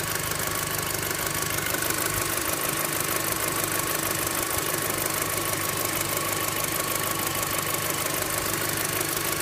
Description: Bruit étrange de cloche et cliquetis moteur golf 5 gti